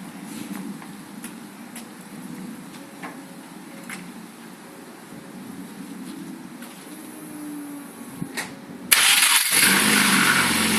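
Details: Rover 1.4 K-Series 16v engine in restored Mini Clubman Estate, first run after build, cooling hoses not yet fitted: birdsong, then engine fires and settles to steady even idle, no knocks or misses; normal idle.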